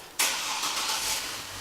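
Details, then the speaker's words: 2005 Chevrolet Trailblazer started after exhaust manifold installation; the check engine light is on. The starter catches quickly and the engine settles into a steady, even idle with no ticking or leak hiss. Finding: normal engine start. "alright this is done so let's go back up and start a car ok we finished with the installation let me start a car"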